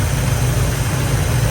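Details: Carbureted engine at idle just after a carburetor rebuild and tune, plugs back in, vacuum gauge reading about 11–13 inHg: a deep, steady low rumble with an even beat and no misses, stumbles or hissing; healthy idle.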